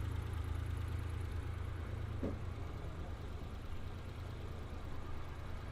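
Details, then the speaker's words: Daewoo Damas freshly converted to fuel injection with new ECU: smooth, steady low idle with even beat, no knocks, misses or ticks; engine running cleanly after the injector installation. "Juda chiroyli holatda ishlab turibdi. Ko'z tegmasin."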